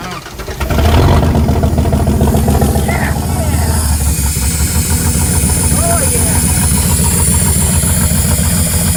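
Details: General Dakota first start after 5 years sitting, after a fuel pump replacement and about five gallons of fresh gas: the engine catches and settles into a rough but continuous idle with a steady low rumble. Fuel delivery restored, running.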